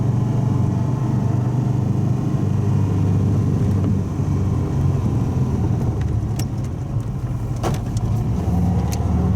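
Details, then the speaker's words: Subaru wagon after welding in a new Lukey Turbo muffler replacing an X-Force straight-through, same freeway test drive: deep even drone at cruise with road rumble, no rattles or leaks; quieter at low revs and load. "It was quieter during the cruising, low revs, low load, but when I wound it up on the on-ramp, I think it's exactly the same as the old one."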